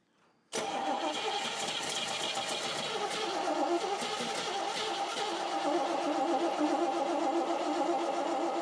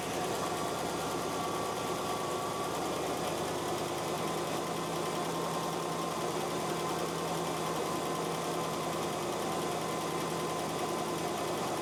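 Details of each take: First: Car engine cranked for the first time after engine and transmission install: steady rapid starter whirr, about three to four turns a second, with no catch or firing; fuel starvation, the tank holds only a tiny bit of gas. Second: First run of a freshly reinstalled engine and transmission in a drag car, with paint burning off: a smooth, even idle with a soft, steady hum. The former lifter tick is gone and the valvetrain is quiet.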